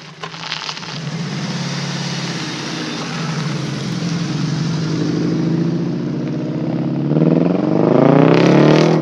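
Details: VW GTI 2.0T, Stage 2 Unitronic tune, Neuspeed cold air intake, full turbo-back 42 Draft Designs exhaust: uneven, choppy, lumpy exhaust beat, about four stumbles a second under revs; misfire from failed ignition coils 2 and 4.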